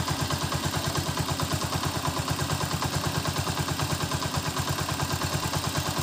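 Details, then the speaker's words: Honda TMX 125 single with valves set to standard 0.08 mm clearance, warming up: light, even tick in time with idle; normal, since clearance grows as the head gets hot, unlike a loud tick from cold start. "So kung mapapansin niyo pag yung clearance mas lumaki agag sobrang init na lumagitik normal lang po yon"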